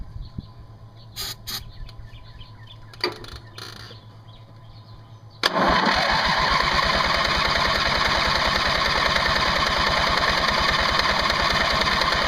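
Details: Craftsman mower's 20 hp Briggs & Stratton Platinum Series flathead cranked again after ether (starting fluid); even compression chugs about three a second, never fires: cranks but won't start. Owner suspects a valve problem; both plugs later found to spark.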